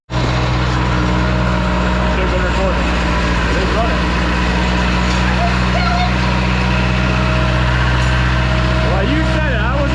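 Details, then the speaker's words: 2007 Bad Boy AOS 7200 with 35hp Cat diesel; steady, even diesel clatter at one speed, no misses or knocks, running smoothly. "all right so on a brighter note this one is running like we talked about before"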